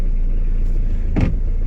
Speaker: oh did you heard that it was the clutch pedal so let's hope we can drive the car till there